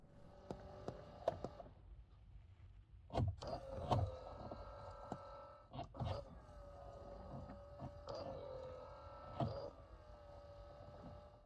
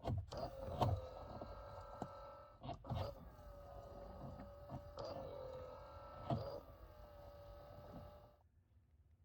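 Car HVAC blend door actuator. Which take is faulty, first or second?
first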